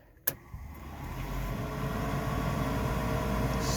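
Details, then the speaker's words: 1969 Ford F100 heater blower run again after pulling a suspect wire bundle: click, then a low hum spooling into an even whir; blower runs smoothly, fuse confirmed as the fault. "Kind of nervous. Hey, motor came on. You hear that? So it's that fuse."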